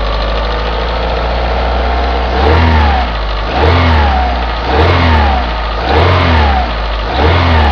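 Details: Opel Astra G X16XEL at idle and low-rpm revs, noise worst at cold start: light ticking from the engine's right side; mechanics suspect valve lifter wear, owner suspects left-side sound is cambelt tensioner roller wear.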